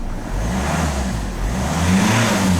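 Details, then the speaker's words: 2013 Ford Kuga 2.0 TDCi brought in as a no-crank, no-start with an ECU fault traced via power, grounds and CAN high/low checks, after repair: deep even diesel rumble rising smoothly on throttle blips, no knocks or catches; normal running and revving. "quite pleased with myself now I mean she's all up and running customer can have it back Monday"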